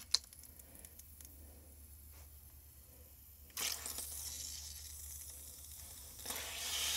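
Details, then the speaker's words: Newly installed water line after the meter is turned on, with a hose run off a frost hydrant: a hiss that bursts, eases and surges as air spits out. Normal purging of air from the line. "We're going to turn that on and then we'll hook a hose up over there and run a hose out and flush all the air out and see what happens once we get some water in there."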